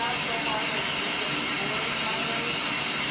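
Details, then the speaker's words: Shower running cold: loud steady water hiss with thin squeak and sputter from the shower arm; the shower head's rubber washer had been pushed up into the arm and flaps in the flow, removed to fix. "washer got the washer for your shower head got pushed up in that pipe and it's rubber so as that water is going through there that washer's in there flapping while the rubber that's what's making that squeaking noise too is that that rubber washer"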